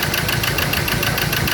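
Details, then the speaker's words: Ford Ranger diesel that would not start, now idling: lumpy, loping beat with missing pulses, firing only on cylinders three and four; one and two dead with no electrical pulse to their wires, wiring fault suspected. "so i did get it to start but i it only fired on two cylinder in on um four three and four two one and two is not firing"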